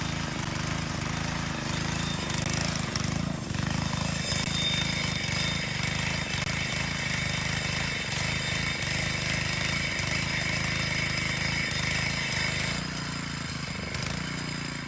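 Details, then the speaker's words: Moto-Mower tiller repowered with a 3.5 HP Honda OHV engine, still fairly cold with a new belt: single-cylinder pulses steadily but labours and lugs under the tines, engine bogging under load; too much tiller for 3.5 HP, later replaced by a 5 HP Honda GC160 OHC. "under load but it's also kind of cold still and as the belt gets a little bit more worn in uh it doesn't trip quite as much but definitely it was uh not enough there's too much tiller for a three and a half horsepower motor"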